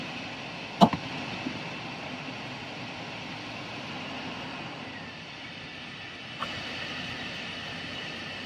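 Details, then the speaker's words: 2001 Chevrolet Astro van, 4.3 L, code P0300, at idle: a rough, uneven beat with a repeating skip. Scan data shows cylinder 3 counting a dead misfire, with 2,977 misses since the code was cleared. "as you can see right off the bat misfire Sona 3 is counting way up every time it's a dead Miss on S go"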